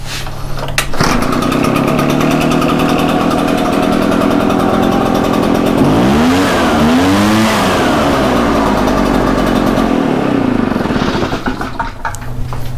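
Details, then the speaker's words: Echo PB-755ST backpack blower two-stroke after a recoil and pull-cord repair: it fires on one pull, then a strong, steady drone rises and falls cleanly with the throttle. Everything works. "everything appears to be good to go."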